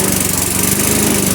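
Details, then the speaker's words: Self-propelled auction mower with non-adjustable carb, just cold-started after a dozen primes: fast, even clatter with a steady beat and no misses. Running normally, drive strong enough for wheel spin. "Oh, it's going. It is going. Do the drive work. Unbelievable."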